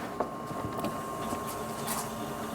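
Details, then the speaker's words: 39-year-old Ford F150 towed in with a crank-no-start, fuel pump powered directly through a jumper wire: a faint, steady, high-pitched whir. The electric fuel pump runs continuously, yet the truck still won't start when cranked. "the pump is definitely running so I'm going to crank the engine the pump is running but the the truck is not starting okay"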